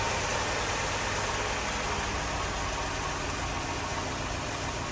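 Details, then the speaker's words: 2004 Lexus GX470 V8, first start after full reassembly, no coolant in it yet, radiator-fluid smell: even, steady idle around 700 rpm with no stumble or miss; normal idle. "she's idling really good doesn't sound like she's misfiring there's no coolant in it so I won't know unless I put coolant in it she's idling about like s 700 RPM just a just a tad under a th000 so idling is good it sounds really good"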